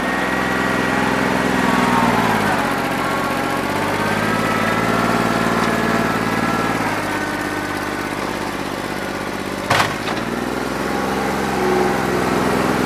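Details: New Holland 1320 tractor diesel, warm after three hours of loader work: uneven, lumpy beat under load, running on about two and a half cylinders; a bad injector is suspected.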